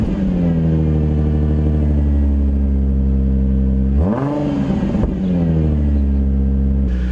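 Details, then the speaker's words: Nissan 350Z V6 with aftermarket exhaust, crashed project car jump-started; deep loud exhaust drone holds steady, swings up cleanly on a rev and settles back smoothly, sounds very good. "This car sounds incredible. Oh, this sounds really good. It's loud, but that aftermarket exhaust, it really works. It sounds very good."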